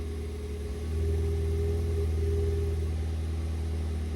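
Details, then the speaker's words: Ford Fiesta ST180 just after in-tank fuel pump replacement, running with exhaust back box removed; steady, even low idle with a slight blip and loud exhaust note, no engine warning light, runs smooth and healthy. "No engine warning light. Let's find out what it sounds like. Seems good to me."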